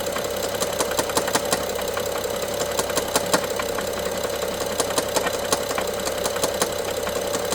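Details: BMW F07 N55 running: sharp irregular ticks and rattles about three a second from top end, loudest by cylinder 1 injector and near mid servo connector, worse with throttle, sometimes pausing 3 seconds; timing chain looks OK, cause unfound.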